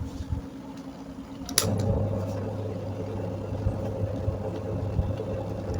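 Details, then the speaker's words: Stand fan fitted with a replacement motor after the original burnt out; an earlier fault kept it from running. After a click, a steady low hum and even airy rush hold constant at the selected speed; it runs normally. "ඔන්න දැන් දුවනවා. Speed එකට දාලා තියෙන්නේ."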